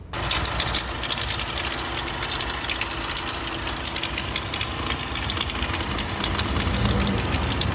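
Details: VW Amarok diesel with a strange engine noise, high-pressure fuel pump failed: harsh metallic ticking and clatter over a rough idle; failed high-pressure fuel pump.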